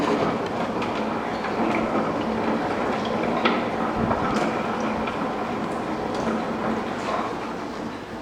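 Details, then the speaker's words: Honda Fourtrax TRX300 rear end, in neutral, turned backwards by hand: loose irregular metallic rattle and clicking inside the differential from worn pinion gear bearings, owner suspected bearings or driveshaft; teardown follows. "backwards you can hear a little bit of stuff rattling around inside there though"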